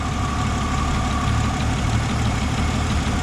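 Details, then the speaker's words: 1977 Jeep CJ7 Renegade that sat 9–10 years, idling before a ground wire is pulled to test charging: steady mid-pitched whine from the alternator; cause suspected, not confirmed. "so I wanted to see what happens when I pull the ground off of here see if it affects the charging I'm willing to bet it will we listen to that wine you can hear the alternator"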